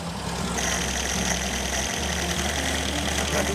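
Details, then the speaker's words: Restored 1969 Audi L 72PS (F103) barn find, with a warm engine on automatic choke, idling after the ignition timing was reset at the distributor: a low, even four-cylinder idle with no misses; it sounds a lot better. "How are we looking? There it is, down my side. Well, that sounds a bit better."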